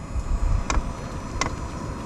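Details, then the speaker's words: SILVEL diesel heater on first test after a fuel-leak repair, heard outside the barn as it fires up: crisp, evenly spaced fuel pump ticks about every 0.7 s over a low hum; pumping normally while checked for leaks. "All right, she's pumping fuel now. So now is where we'll tell if we got any leaks."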